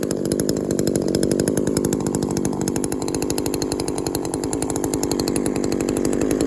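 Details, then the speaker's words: Shindaiwa 22T trimmer with aftermarket carburetor replacing original Walbro and a slightly sticky taped throttle cable: crisp even idle, brief rev dropping cleanly back; cable didn't stick, runs normally. "just a little rev just wanted to rev it a little bit to see if the cable would stick it didn't look like it was"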